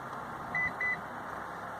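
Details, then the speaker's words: Lexus RX 350 after a dealership visit: power tailgate answers key fob and interior buttons with two short even beeps and does not move, because the power tailgate switch in the glove box is turned off. "so all I'm getting is actually two beeps when I tried so we're inside the truck and we're gonna try it with the ax button again two beeps and the tailgates doing nothing"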